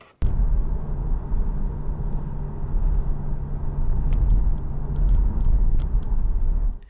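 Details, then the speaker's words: Porsche 981 Boxster driving after the knocking rear trailing arm was replaced (bolt torqued to 160 Nm): steady road and drivetrain drone with no knocks; the rear suspension sounds healthy. "as you can hear, there's no knocking."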